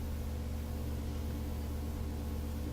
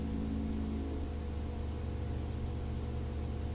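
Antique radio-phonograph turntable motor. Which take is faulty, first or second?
second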